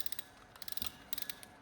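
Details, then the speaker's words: Serviced PENN Sargus 8000 spinning reel, over 10 years old, back from factory repair: crisp, even bursts of quick ratchet clicks with a smooth mechanism between them; working like new. Normal ratchet operation. "This reel came out probably over 10 years ago and working like it's brand new."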